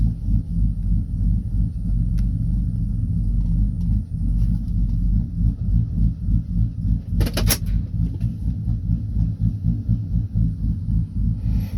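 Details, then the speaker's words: 2012 Silverado V8 with a bigger cam and a Circle D converter, AC off, idle set at 770 rpm after trying 700 to 780. A choppy, lopey low rumble about three pulses a second: sounds good, normal for the big cam. "sounds good where she's at so we'll probably leave it at the 770 that i got set at right now"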